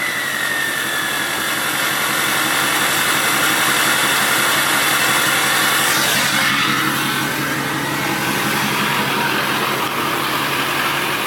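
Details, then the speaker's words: LLY Duramax diesel idling after head gasket work and a replacement AC Delco belt for a chirp: a steady, even idle with a soft rapid pulse and no ticking or knocking, very quiet for a diesel. "Ever since doing the head gaskets, like, listen, this is probably the most quiet or quietest LLY Duramax ever."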